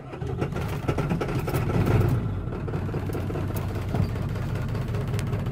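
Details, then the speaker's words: 1997 Ford F-250 HD 7.3 diesel after glow plug replacement; uneven lumpy idle with stumbles and heavy shaking as injectors 1 and 3 lose power from a bent pin in the valve cover harness connector: injector misfire. "it sounds like the injector's misfiring which technically it is because it ain't getting power to it or whatever"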